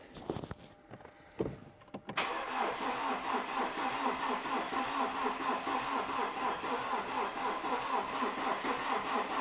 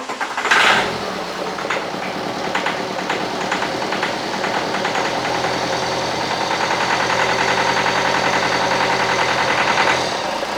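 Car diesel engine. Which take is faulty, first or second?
first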